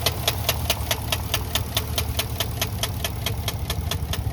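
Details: 2013 Chevrolet Caprice 2WD 4-door sedan, sold as a tow-away: sharp, even knocks about five times a second ride over a steady idle, an engine knock from the bottom end.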